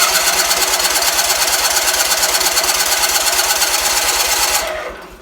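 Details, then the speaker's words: Roper tractor BFM twin-cylinder engine after fuel filter, fuel line and pulse line work: starter cranks at about three even pulses per second but never catches; owner suspects too little fuel reaching carburetor, possibly weak fuel pump. "so doesn't want to pick up fuel I mean I got it in the filter but probably not enough in the carburetor it may still have somewhat of a weak fuel pump"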